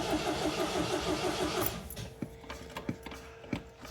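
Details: 1979 MGB long kept in the family, choke set and fuel pump primed: even starter churn about three turns a second with no catch, then stops; won't fire on stale fuel.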